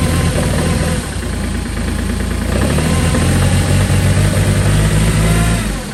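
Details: Kubota L2502 diesel tractor, cold start at -17 °C (1 °F) after glow plugs cycled twice, throttle at full: catches and settles into a steady, even clatter about four beats a second; clean cold start and idle.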